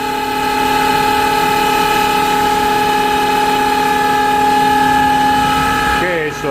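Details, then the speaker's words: Smithy AutoMate CNC LT1440 lathe, 2 years old, about 800 spindle hours, old spindle before replacement near 1800 rpm and higher: loud steady high-pitched whine near 850 Hz; worn spindle bearings. "that thing is loud"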